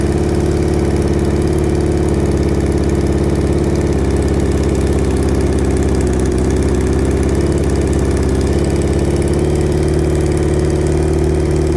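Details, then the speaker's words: Hayabusa-engine-swapped Can-Am X3 at a morning start: loud idle with a slightly uneven, lumpy beat. The owner suspects a dead cylinder and is checking exhaust primary temperatures with a temp gun; not confirmed. "It sounds like it might have a dead hole. So before we go on and do too much more, we're going to just make sure that it's firing on all four cylinders, just using a temp gun."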